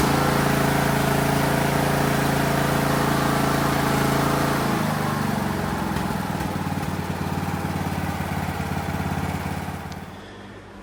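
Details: Craftsman DLT 3000 riding mower single-cylinder engine after a new fuel filter, air filter and oil filter: it runs fast and steady, then drops to an even idle around four beats a second before shutting off. Normal.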